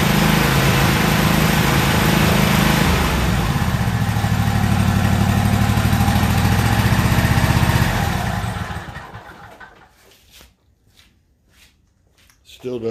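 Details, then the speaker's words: Toro zero-turn mower, about a year old, in for a no-start issue and earlier backfiring and popping, running outside after adding gas: loud twin-cylinder with an uneven, stumbling beat, possibly still skipping; spark plugs then pulled to check; engine running rough. "sound right to me I think it may be still skipping or something's going on"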